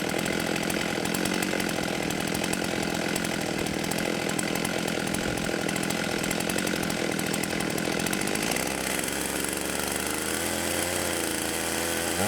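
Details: 1989 Husqvarna 50 chainsaw, sat years with old gas: two-stroke buzz stays high and even, then eases smoothly back toward idle; runs cleanly and healthy.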